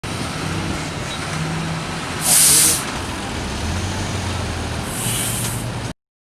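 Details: Tata or Leyland truck with pusher axles: two sharp bursts of air hiss about three seconds apart over steady running noise, air venting from the pusher-axle suspension when hitting road bumps.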